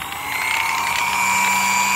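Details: Vintage electric massager from the 1970s–80s, after motor brush repair: steady high whine climbs slightly, then holds an even pitch with no crackle or stutter; motor runs smoothly, normal.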